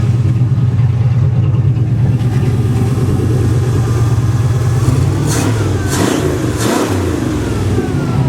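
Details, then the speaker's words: 1963 Oldsmobile 88 V8 warming up with thermal choke opening, after fixing a loose fuel line sucking air: deep, even rumble, throttle blips climbing and falling cleanly with no stumble or hesitation; running healthy. "now she rips good he's a beast"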